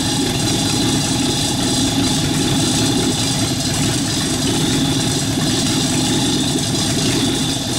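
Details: Rat rod truck engine idling, driving converted York AC compressor pumping air for airbag system, pressure switch set about 85-100 psi: even steady idle with constant hum from belt-driven pump, no misses or knocks; normal idle with compressor running.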